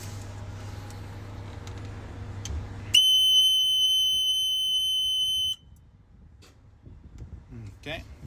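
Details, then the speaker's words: Niftylift HR28 access platform being diagnosed for CAN bus faults (errors 27 and 21), connectors retightened: loud steady high-pitched beep for about 2.5 seconds over a low hum at switch-on; sounder relay K1, unrelated to the CAN fault. "except the relay K1 but we know that K1 is for the Sounder so it's not affecting what we fixing here"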